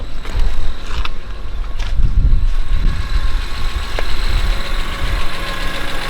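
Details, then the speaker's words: BMW E46 M3 S54B32 idling, slightly warm, after timing chains, guides, tensioner, VANOS, oil pump, water pump and rod bearings service: steady, even idle, no knocks or misses, light intermittent whine from the alternator; engine runs smooth and quiet. "but rather than that the engine runs smooth it runs quiet as possible in my opinion"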